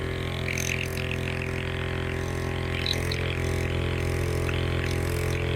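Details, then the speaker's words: On-board air compressor hidden in the toolbox of an off-road Ford F-150, first test powered through a fuse: steady quick motor hum with an even pulse around 3.5 per second and light box rattle; making air pressure, quiet; normal running. "Definitely making some air pressure. So I'll pull that back out for now. And it's pretty quiet really too."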